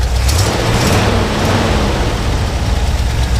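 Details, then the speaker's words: 1979 International Harvester Midas Baja Super Scout II 4x4 V8 revved; deep even rumble with no knocks, misses or smoke; healthy engine revving. "hopefully you get a good look at it you get to hear it running go ahead and rev it up"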